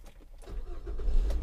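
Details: 2005 Mazda 6 after repairing the fuel pump power wire (pump previously had no power): brief crank that catches at once and settles into a low, steady idle; healthy start.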